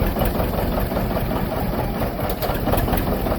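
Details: John Deere 730 diesel two-cylinder tractor belt-started for the first time in 8 years after a water pump rebuild and a worn-through pulley found: steady, loping chug with an even beat, no misses or knocks; normal running.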